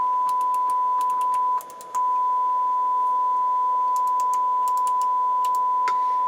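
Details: Rotel RX-802 vintage receiver during restoration, 1000 Hz test tone on speaker system one at about 24–26 W: a steady pure tone that dips briefly as balance swings left and right, with no hum, crackle or distortion; the amplifier output is clean.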